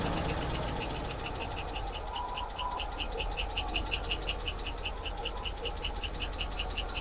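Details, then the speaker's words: 1986 Ford F150 sat for years, running after oil pressure confirmed: light even valve tick about two to three per second over steady idle, easing as it warms and runs better. "Sounds like it's already trying to start to run better. Yeah, and the tick starting to go away, too."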